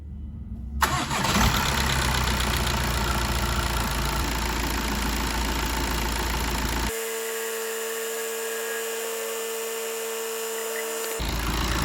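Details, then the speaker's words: 2015 VW Golf Mk7 2.0 TDI (CRBC) diesel, first start after timing belt, water pump, tensioner and idler replacement: short crank, catches immediately and settles into smooth even idle, no knocks or misfires; normal start. "soon as you struck it up there, you can see it just struck up nicely."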